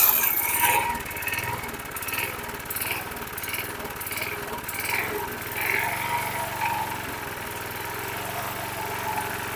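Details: 2005 Troy-Bilt 21" push mower, engine 129K02, just started after priming: the single-cylinder hunts up and down about every second; the primer bulb smooths it, then it surges again, showing fuel starvation.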